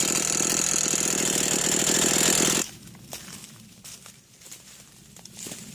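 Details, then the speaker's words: New Echo CS 490 chainsaw running gently on its first tanks of gas gives a fast, fairly even rattle, about four per second, at idle, heard from one side; source of the rattle unclear. "I going to see if y'all could hear that uh that rattling noise definely come from this side"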